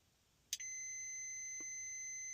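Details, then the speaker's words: Generator TPS-style block heater thermostat, opens at 120° and must cool 20° to close; cooled by blowing/cold can, not as cold as wanted. Sharp click as it closes, calling for heat, with alarm horn beeping in background: good thermostat working properly. "It's not as cold as I'd like, but you'll hear a click closed."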